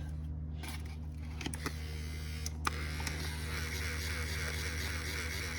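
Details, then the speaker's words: 1995 Ford Mustang GT power window motor removed from the door and bench-tested: low steady hum with sharp clicks and no clean spin-up; bad motor, replaced with a spare that came with the car. "Oh yeah, it's a bad motor. So luckily the car came with an extra motor."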